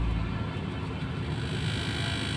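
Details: Toyota car running on LPG and octane, idling in park and drive with AC; low uneven lumpy idle with unstable rpm, traced to a detached intake vacuum pipe; rough idle from vacuum leak.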